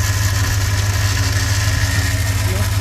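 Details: Ford truck petrol engine, 34,000 miles, sat for years, idling: light, irregular ticking rattle riding on top, coming and going, resembling lifter tick; plug wires ruled out.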